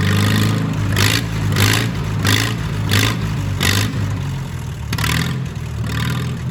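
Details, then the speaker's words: Old tractor revived after long sitting, good oil pressure but not charging: engine runs on its own with sharp rev blips over a steady rumble; normal engine running. "i love the sound of this tractor let me let you hear it"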